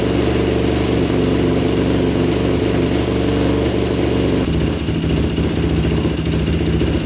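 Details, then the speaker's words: 2006 Yamaha YFZ450 special edition quad running on choke: single-cylinder steady but slightly uneven, tone dropping near end, smoking heavily and stalling when choke changed; blown head gasket confirmed, head bolts found barely torqued. "yeah it was definitely a head gasket those bolts were barely torqued down"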